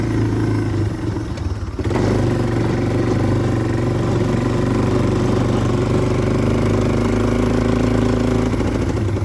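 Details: 1997 Yamaha Timberwolf 250 ATV on a ride: single-cylinder sputters with ragged stumbles and pops under load; owner suspects it is running rich and may change jets.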